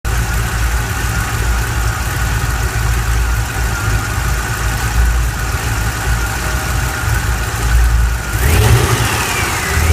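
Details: LS7 V8 after cam install rumbles with a thin, steady whine on top that climbs and wavers as the engine revs — engine whine.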